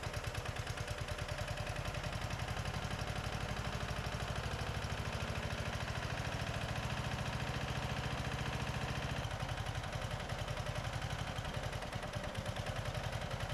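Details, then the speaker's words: 2004 Craftsman 30-inch Murray-built mid-engine mower running with the coil kill ground disabled after a no-spark fault: single-cylinder idle with an uneven, loping beat and some clatter. Carburetor issues are suspected and it will be cleaned. "all right well it started it ran doesn't sound too clanky um it's got some cover air issues we gotta sort through it's gonna take the carb off and clean that out"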